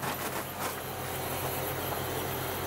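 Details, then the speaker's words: Outdoor air conditioning unit on plain legs on plywood stand, before fitting spring rubber anti-vibration mounts: steady low drone and firm hum, slight vibration transmitted through the mounting making it very noisy. "so terribly noisy I can feel slight very slight vibration but all together noise over there noise over there"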